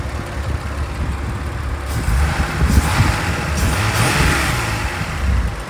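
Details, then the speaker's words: 1993 Mazda 323 with swapped 2.5 V6 KLZE engine, running rich, a cam gear possibly one notch out: revs up then hangs high instead of dropping to idle; sticking throttle cable holds it open, idle otherwise lower around 700-800 versus former 1200-1300 rpm. "the second issue is that this throttle cable get stuck a bit so you can hear that the RPM's lower it's sitting out like seven or eight whereas before it would sit around I don't know 12 1300"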